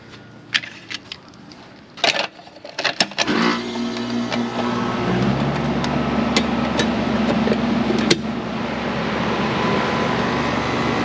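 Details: York AC condenser after replacing a bad capacitor (fan side read OL, compressor side 0.4): clicks and handling knocks, then steady even hum and fan whoosh; fan motor 1.3 amps, line getting cold, normal operation.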